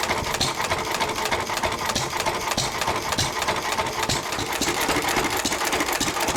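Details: 1923 3.5 hp Emu (rebadged Hercules) engine, idle 20+ years, after oiling the sticking magneto and exhaust-valve mechanism: rapid, slightly uneven popping with sharp exhaust cracks and no knocks or grinding; it runs pretty well.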